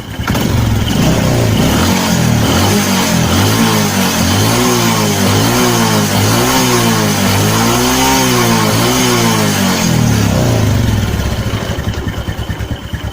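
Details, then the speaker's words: Carbureted Honda Karisma motorcycle after idle adjustment: clean repeated throttle blips rising and falling evenly, no stumbles; fuel and combustion normal. "Yes, it's normal. So if it's normal like this, it's better"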